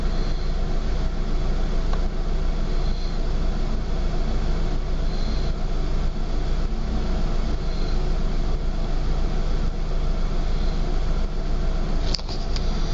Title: Rough idle